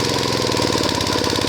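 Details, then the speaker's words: Small single-cylinder water-pump engine converted to LPG via a hole drilled in the intake before the carburetor, gas adjusted until steady, then revved to test mixture: even beat about twelve pulses a second, no faltering; normal running. "พอปรับได้ที่แล้วก็เครื่องเริ่มนิ่งแล้วนะครับทำการเล่นเครื่องนิดนึงก่อนนะ"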